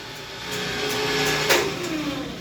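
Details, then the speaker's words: Generator set starting automatically in auto mode during emergency-function testing: a steady hum with a whine that rises and settles as the set comes up to speed; an even, healthy start. "artinya emergensinya udah berhasil. Ini emergensi ketika mode auto gitu ya."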